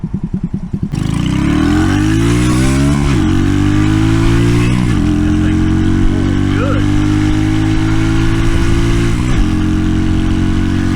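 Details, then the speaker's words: RPS Racer 140 single-cylinder with a new stainless side-exit exhaust and a Nibbi PE24 carb jetted to a 115 main and 40 pilot, warming with the choke just off: it fires, blips, then settles to an even, crisp idle at 1,100 RPM. Healthy, a bit loud. "See how good it is running at up here at just idle. I heard the choke off. Yeah, see it'll idle way down at 1,100 RPM, no problem."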